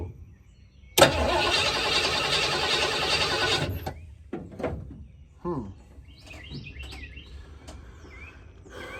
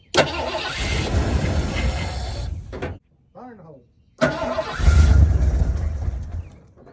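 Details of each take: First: 1986 Ford Bronco 351 Windsor V8, sat about 15-16 years, cranked with gasoline poured down the carburetor: an even churn with no firing at all. Owner suspects no spark and plans to check the coil wire with a spark tester. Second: 1986 Ford Bronco 351 Windsor V8, sat about 15-16 years, after spark was confirmed and the coil wire reconnected, with fuel poured into the carburetor: it catches, runs rough, dies, then restarts and revs. Nothing rattling.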